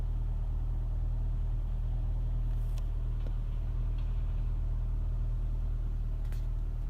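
Cold idle with a low, lumpy drone that pulses unevenly instead of holding a smooth beat; a rough idle, cause unknown.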